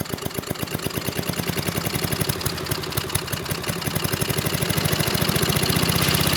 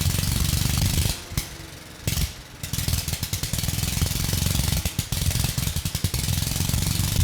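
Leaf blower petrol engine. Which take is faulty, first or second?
first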